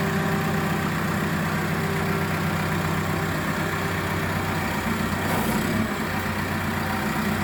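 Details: Caterpillar D3K dozer just started during a daily pre-use check (P2H) after confirming the dashboard warnings clear: low, steady diesel rumble holding an even idle with no knocking, surging or misfire. Healthy engine, normal idle.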